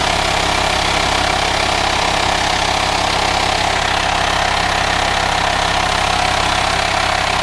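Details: VW Transporter T5 2.5 diesel 6-speed camper van at idle in the engine bay: steady clatter with constant airy hiss, suspected vacuum leak; no auxiliary belt or pulleys, source not yet found.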